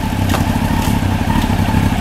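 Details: 1993 Honda CBR900RR on rear stand, out of museum storage, aftermarket exhaust deeper and throatier than stock: steady, even idle with a few light clicks as gears are selected; clutch free after sitting, engine healthy.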